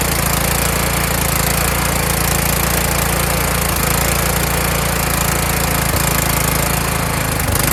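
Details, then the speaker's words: Kohler Courage engine on a tractor, winter, engine cover off, after swapping in the donor engine's carburetor whose choke springs back by itself: loud steady chug with a slight rise and fall in speed. Normal running with a slight surge. "I swapped the carburetor off of the donor motor, put the carburetor on there, and without me putting a spring there, choking it, and it springs back by itself."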